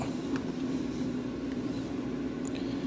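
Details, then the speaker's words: AC Infinity Cloudline S6 inline duct fan in a 4x4 grow tent on speed 4, side vent cover off, winding up: steady mid-pitched hum over a soft airy rush with no rattles or wobble; running fine. "We're going to let this fan wind up real good."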